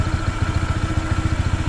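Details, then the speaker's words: Honda PCX 160 scooter, new and not yet broken in, idling with an even pulse and a faint, thin, steady whistle from underneath; source unknown. "tapos ano pa ba meron siyang parang sumisipol sa ilalim yan"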